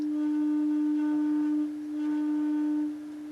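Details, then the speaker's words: Vintage Rotel RX-802 receiver before restoration: a loud, steady droning tone with ringing overtones through the speakers that briefly dips. Cause unconfirmed. "good some awful noises coming out of my speakers I don't think"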